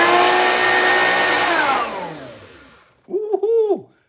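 A loud rough whine that winds down after switch-off, then a short wavering howl on restart, pointing to a damaged motor fan.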